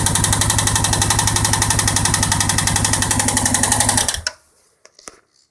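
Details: Suzuki King Quad 700 after engine rebuild: steady rapid tapping about four per second over the idle until shutdown; top-end knock, source not pinned down.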